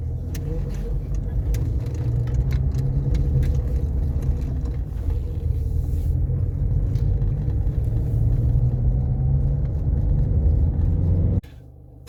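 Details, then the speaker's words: Peugeot 407 SW on a road test after its front CV boot was replaced: steady road rumble and tyre noise with no clicking or knocking, so the CV joint sounds healthy and the knock is gone. "happy with that so no knocks no bangs um the car runs and drives as it should"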